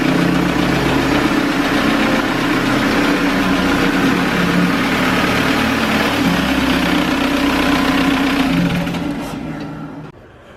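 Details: VW TDI diesel in a Toyota pickup, after diesel purge of injection pump and injectors: steady even idle with smooth low rumble, no misses or knocks, then shutdown; healthy start and idle.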